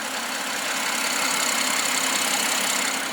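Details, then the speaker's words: BMW M140i petrol six, rebuilt after a wreck, warmed up to temperature after cooling system bleed: steady, even idle hum with no knocks or misses; sounds good. "got up to temperature as well. Stabilised right there. It sounds nice as well."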